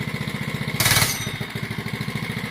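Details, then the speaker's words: Oryxearth 105cc gas mini bike, newly assembled, run switch moved to run: small single putts evenly, quick throttle blip flares crisply and settles straight back; sounded pretty good, normal throttle response. "Hey, that sounded pretty good. Blip it again."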